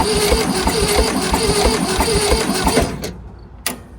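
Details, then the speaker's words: 1971 VW Super Beetle after over 20 years sitting, cranked slowly from a jumper pack: steady cranking about three beats a second, never fires. Compression was low (cylinder 2 at 50 psi, cylinder 4 at 45, cylinder 1 at 5), and a valve is suspected stuck open. "Well, it sounds like it ain't getting enough to put it through it over fast enough. These didn't turn over very fast. Right? Yep. Try again. Nope. Huh? Nope. No point. Not enough compression."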